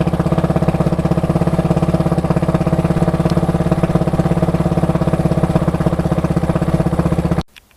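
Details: KTM 690SM LC4 single, warm at idle, on Motorex oil (previously Amsoil 10-40): quick, even light tick on each firing pulse, only when warm; owner suspects the cam chain tensioner, unconfirmed.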